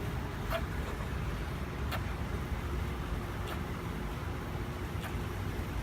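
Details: Briggs and Stratton lawn mower engine, first start after head removed, piston cleaned, head gasket refitted and carburetor clean: steady, even low rumble with no misses or surging; running smoothly and healthy.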